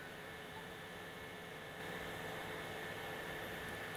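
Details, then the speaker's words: Modena portable induction cooker on automatic hotpot program at maximum power, boiling a cup of water in about 2 minutes 25 seconds; even fan hiss with faint steady hum stepping up after two seconds; normal full-power operation. "Oke kita akan pasang stopwat di sini sambil saya menyalakan kompor dan ini saya akan coba menggunakan program otomatis hotpotnya ya karena yang saya tahu sewaktu diperagakan ini adalah ee program di mana ee tingkat daya itu yang paling maksimal"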